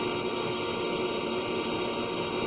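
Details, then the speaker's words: LANAIR XT-75 waste oil heater, burner running, fan barely audible: an even, unbroken high hiss with a faint hum; owner suspects the air pump, which has grown quieter after 6.6 hours. "so the fan you can't hear the fan this thing is running it's the only thing I can hear I don't know um maybe it's the aoam maybe it's the sparker it's something up here I think it's air pump because it's gotten quieter since it's gotten this for 6.6 hours"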